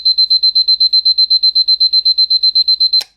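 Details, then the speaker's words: Battery Lorus (Seiko) Mickey Mouse alarm clock, later version, alarm set for 1 o'clock and switched on: high even beeping about four pulses a second until switched off sharply; alarm rings normally. "I've set the alarm for 1 o'clock, that's why it's working. So we'll put the alarm on and listen to it."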